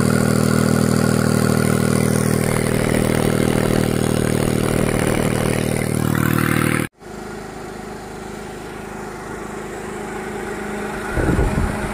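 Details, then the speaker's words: Kancil with AV turbo, started while turbo cold to check whether it still rattles; oil on a hose, possible leak. Even idle pulse about 3.5 beats per second, no whistle, rattle or scraping; normal turbo at cold idle. "Okey, kita start tebu tengah sejuk. Berasak lagi tak? Okey. Ni tebu AV tebu AV. Kita start dulu, tengok berasak lagi ke tak."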